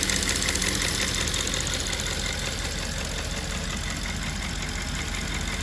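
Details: Audi S5 4.2 V8 2010 at steady idle with a light, fast ticking of about three clicks a second from a faulty fuel purge valve, recorded before the valve was replaced.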